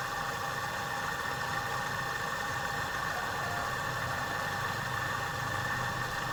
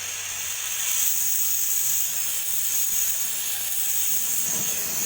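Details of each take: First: Refrigerator compressor runs after air recharge, before a leak at an oily spot is found: even, steady mid-pitched hum with no knocking or rattle; compressor running smoothly. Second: Refrigerator compressor line opened during welding repair, with no gas in the system, only oil: steady high-pitched hiss of air rushing out as oil still inside is blown through the long pipe and compressor.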